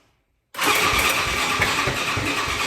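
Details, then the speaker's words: Can-Am DS 450 quad on a start attempt: after a silent gap it fires into ragged, uneven sputtering that never settles. The owner suspects fuel starvation, since the spark plug was checked and looked fine. "So as you can tell, I'm going to try to start up the bike, and you guys will be able to hear what how it's like sputtering, it's like almost like it's not getting fuel to start."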